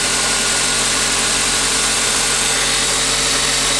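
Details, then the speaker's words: Auction-yard car idling with the exhaust near the bumper; steady, smooth idle under heavy hiss with no misses, ticks or knocks, and the engine sounds healthy: normal idle. "sound very healthy so this this would be a nice reasonable price car"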